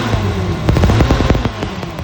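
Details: Hyster forklift Vortec V6 running: uneven popping and stumbling pulses break the engine's beat, a misfire caused by a spark plug wire shorting.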